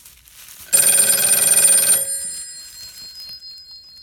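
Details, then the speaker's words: Western Electric 302 telephone with cut cord, wires taped to stripped copper as a makeshift connection block: brief rapid bell ring cutting off abruptly after about a second; loose line connection drops out the ringer unless the phone lies flat. "So if I hold this up, it doesn't work. And it appears as soon as I set this down. So right now this has to be flat for it to work."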